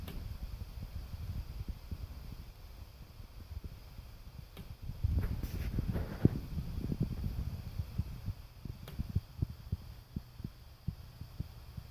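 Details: Irregular loud ticks, pops, taps and creaks inside a bedroom wall from a neighbor's natural-gas water heater metal exhaust flue expanding and contracting as hot exhaust heats it and it cools.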